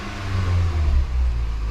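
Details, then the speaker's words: Scion daily driver with a recurring misfire, oil consumption and low compression in cylinders 3 and 4, restarted after a compression test: it missed badly at first, then settled to a steady, even normal idle with no miss. "That was weird. That took a minute. Sounds like the idle's pretty normal right now. It's not missing or anything."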